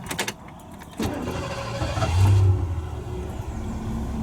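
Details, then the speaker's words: Unnamed vehicle hot restart on a 95°F day after over half an hour parked: catches after a short crank and settles into a steady, even low curb idle with no stumbling; normal hot restart and idle. "Excellent. That's uh any diesel speed. This is a curve idle speed. Things are looking good."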